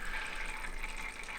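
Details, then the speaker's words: Thermalright 360 AIO on a test bench, pump set back to 80% after trying 100%, CPU at idle: a watery gurgle and hiss with bubbly swirls that comes and goes over the pump hum, from air trapped in the pump that cycling pump speed hasn't cleared. "see this see bubbly the bubbly sound is coming back just come and goes come and goes"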